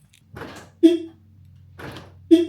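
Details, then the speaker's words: Porsche alarm beeper on lock: two cycles, each a soft clunk then a thin, short, feeble chirp; weak beeper, to be replaced with a new unit on the factory plug. "But now onto something else, fixing something that's really, really annoying on Porsches. This is super annoying, dimpy, and weak."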